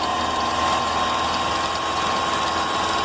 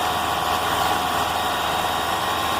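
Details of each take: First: Engine idling with a fast, high, cricket-like chirp from the front accessory belt area; a plastic part may be rubbing the belt or the alternator bearing may be defective; fix involves loosening the upper 13 mm alternator bolt. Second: Engine after a new belt was fitted, alternator bearing checked fine: steady, even hum with no chirp, squeal or bearing growl; the earlier belt noise is gone, normal running.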